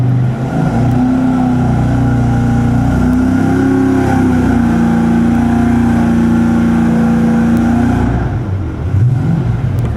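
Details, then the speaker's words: Fuel-injected V8, just after first start while cold: loud, high steady idle well above normal with no hunting; cold engine suspected; fast idle. "What we're doing right now is looking at how the idle speed is really fast, and that might just be because it's cold, because he's got the throttle blade all the way shut."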